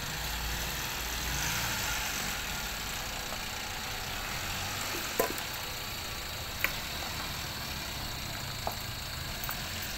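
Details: Toyota Avanza that would not start, running after fuel-system work (fuel pump relay and fuses checked, fuel tank removed): an even, steady idle with no knocking or stumble and a few faint background clicks. Normal idle.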